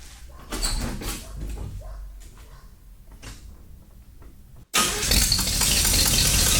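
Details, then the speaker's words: 1985 K5 Blazer, sat 28 years, first start at 90°F with no choke and no coolant: the engine catches suddenly into a harsh, loud, uneven roar, blowing fire out the open secondary air pipes, which need plugging. "I shut it down quickly because I need to put plugs in the exhaust pipes. It's blowing fire out the uh secondary air pipes."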